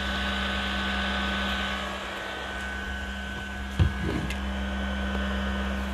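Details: PS4 console never cleaned before, running before cleaning: a loud, steady whooshing roar with a constant low hum, caused by dust blocking the cooling fan; cleaning the dust fixed it.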